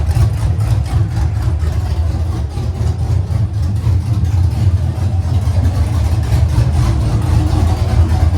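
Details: LS V8-swapped Nissan 240SX drift build, first run on a newly installed Haltech with a quick base tune, no driveshaft or full exhaust yet, small fitting leak: a deep, steady V8 burble at idle with no knocks or misses. Healthy.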